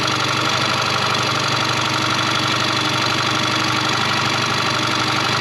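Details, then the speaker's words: 2001 Yamaha 15 hp four-stroke outboard, sat unused in a barn over five years, after carburetor ultrasonic cleaning and full service; steady, fairly quick even putter with no misses, idling a touch fast, so idle is being turned down by ear. "So it doesn't sound too bad, but I am going to just slow it down just a hair."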